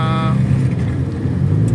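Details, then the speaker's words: 1996 Honda Civic automatic idling with air conditioning on fan level four after replacing the cracked, worn AC belt: steady low idle hum, no belt squeal or chirp; before, noise started at level one. "so ayan naayos na yung ano yung ating aircon hindi na siya maingay nakita niyo naman ah."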